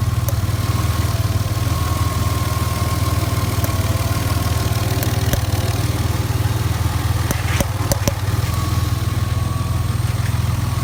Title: Ford cougar popping noise